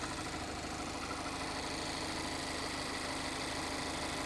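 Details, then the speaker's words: 2021 Mazda MX-5 track car at idle: a busy, rattly clatter at about three beats a second riding on top, noisier than this engine should be; the cam is suspected but the cause is unknown. "and I just just something about that engine I don't know let me know what's going on because I would think that a Mazda engine a basic MX-5 would be quiet it wouldn't be just like like that"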